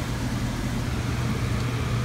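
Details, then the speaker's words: Air handler with heat strips energized after an ECM-to-PSC blower conversion with added relay and capacitor: steady low hum under an even rush of air, sequencers clicking as the 15 kW strips stage on. Normal, smooth operation. "heat strips running. I can hear the sequencers clicking."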